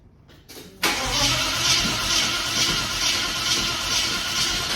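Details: Holden VK Commodore Brock tribute 5.0 V8 after electrical wiring sorted: brief crank then loud, raspy open-pipe roar with throttle blips; it had flooded and lit up with foot to the floor, now running properly.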